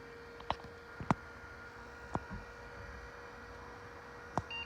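A few switch clicks over a steady hum, then one short high beep: a single-beep power-on self-test pass.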